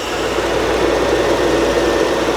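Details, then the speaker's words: Old Toyota Land Cruiser engine: smooth, even drone at steady speed with no stumbling or popping; running properly. "there it is put the wrong way sounds a lot better doesn't it sounds a lot better"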